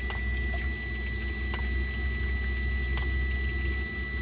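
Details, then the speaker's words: Webasto heater in a bus camper conversion, with an open coolant circuit, expansion vessel and automatic bleeder, heard near its exhaust: a steady burner rumble with a thin whine and faint ticks every second and a half. Some air bubbles are still in the coolant after partial bleeding. "On a réussi à purger plus ou moins haut, on a encore un petit peu de bulle d'air, mais ça va."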